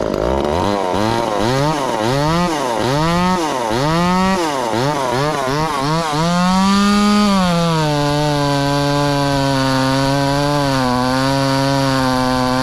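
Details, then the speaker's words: Ported 2375 chainsaw running on methanol after carb mods and ignition timing changes, cutting dense wood: chugs with the pitch surging and dropping about four times a second, then holds a high steady scream. Owner judges it a little lean but not dangerously so. "it is a little lean but it ain't dangerously lean i don't think or she would have seized up and popped there in the cup"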